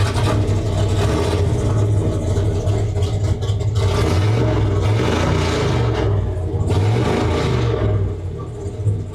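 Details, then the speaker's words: Ford 572 Boss Nine big-block in a 1959 Ford F100 4x4: deep lumpy rumble with clean, crisp rev blips that rise and settle evenly; healthy V8 running strong, "woke up the beast." "It's like woke up the beast. If more is better, way too much is just enough."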